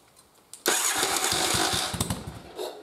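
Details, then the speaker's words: Twin-cylinder engine converted to single-carb manifold with stock 122 main and 41 pilot jets, cranked choke off: catches briefly with uneven firing, then fades out and won't keep running; lean no-start, not enough fuel. "you can hear it hit it sucks a little bit in but it just won't stay running there's just not enough fuel"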